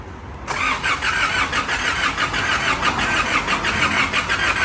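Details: Engine after multiple repairs and a new rear crankshaft seal, first start attempt with oil and coolant filled and ECU plugged in: steady starter cranking about a beat and a half per second, no catch; turns over but not firing yet.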